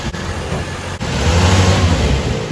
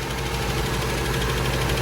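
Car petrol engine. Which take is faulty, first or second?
second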